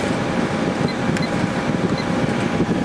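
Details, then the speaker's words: 2003 GE 12,400 BTU Samsung-made window air conditioner after cleaning, condenser hot, running continuously at about 11.3 A and 1,259 W: steady fan rush over a low compressor hum with no knocks or rattles; blowing cold and healthy. "And it's blowing nice and cold. Working just fine."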